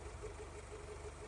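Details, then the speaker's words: Toyota AE86 Corolla 4AGE after adjusting the throttle end-stop screw: quiet, even low hum at about 900 rpm with a steady beat and no misses or hunting. A settled warm idle, now correctly set. "Okay, nice. Now, we're at 900 RPM roughly. So, I would call that set."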